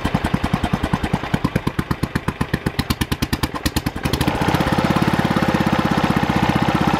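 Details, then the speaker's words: Early Kohler K181 8 hp single-cylinder engine for a Panzer T75 tractor, first bench run: even sharp thumps about 90–100 a minute, firing a little hard because early K181s have no decompression lobe on the cam. "when I first got this to run you might have been able to hear it it was firing a little bit hard"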